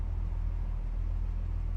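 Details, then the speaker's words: 1969 Mercedes-Benz 280SE W111 coupe, 2.8 L straight-six, fired right up, idling ice cold with good oil pressure: low, even rumble with a soft steady pulse, nothing irregular; healthy cold idle. "She fires right up. Temperature's ice cold. We got good oil pressure."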